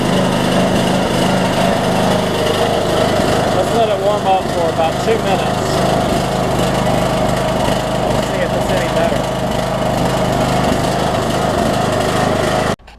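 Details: Troy-Bilt Bronco mower, Briggs & Stratton 18hp Intek single-cylinder with Chinese Nikki-copy carburetor, cold start after reinstalling; unloaded engine hunts steadily up and down, idle surging, fuel mixture suspected, before drilling the low-side jet.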